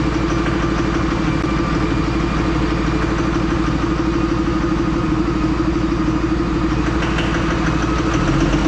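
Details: 3rd-gen diesel with new BD Diesel 90 hp injectors at idle: hard, steady clatter about three knocks a second over a rough idle, white smoke. Owner suspects overfueling from the new injectors.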